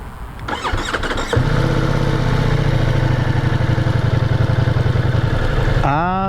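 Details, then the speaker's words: Ducati Multistrada V4S after an earlier stall and won't-start problem was fixed: brief starter whirr, then the V4 catches at once and settles into a strong even idle before a quick blip; healthy start. "the sweet sound of success the bike actually starts well"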